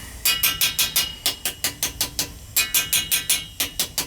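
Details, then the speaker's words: Gas boiler expansion tank, second floor getting no heat: quick taps about three a second ring solid rather than hollow; tank is full of water with no air cushion and needs replacing. "she sounds like it that's why the valve was off bet you it's water in it it's got water in it it's no good there's no air in it Tank's no good"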